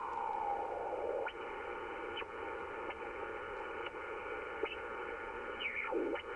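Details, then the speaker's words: Ham radio receiver picking up switch-mode power supply RF interference: a steady rough hiss with whistling tones that slide as the supply's noise offset control is turned. This shifts the noise off frequency, but the noise wanders. "So theoretically what you can do if you're operating on a frequency and you've got this interfering noise, you can adjust that noise offset to get rid of it. The problem is, it wanders. It moves around."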